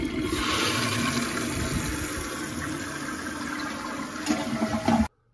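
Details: Toilet after fitting a Korky complete repair kit to fix constant running from a leaking flapper: strong even rush of water that holds steady, then tapers and cuts off cleanly; normal full flush and refill.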